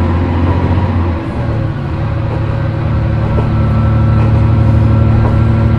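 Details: Isumi Railway Isumi 300 series railcar 302 accelerating: deep diesel drone with tones stepping up in pitch; unusual noise under acceleration, cause unknown.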